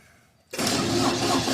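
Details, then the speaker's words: Cold Deutz diesel welding machine engine, 9907 hours, no glow plug: silence then laboured churning that never settles to idle; hard starting, owner suspects the fuel has gelled. "oh it's struggling oh come on come on nothing turning off for safety that's with no globe plug man"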